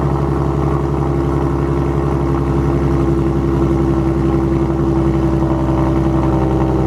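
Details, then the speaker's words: Ford Mustang 3.7 V6 with M122 supercharger, first start after installing long tube headers: loud, deep idle with a rapid puffing tick underneath, an exhaust leak at the new header pipe fitment. "But there is an exhaust leak, I can already hear it."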